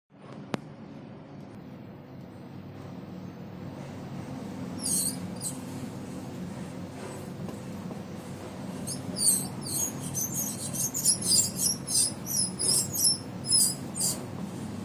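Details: AC cooler fan motor with a badly worn 6202 ball bearing: steady low hum broken by sharp squeaky chirps as it rotates; worn bearing suspected as the noise source, fixed by replacing the bearings.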